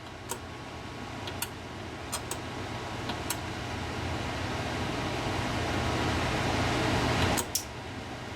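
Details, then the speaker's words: Henry 2K-D desktop classic amplifier under repair, powered from a 220 V variac: sharp irregular snapping clicks over a steady cooling-fan hum as high voltage comes online, arcing somewhere while still building power. "As soon as I bring that high voltage online, it's arcing someplace, but it's building all kinds of power at the moment."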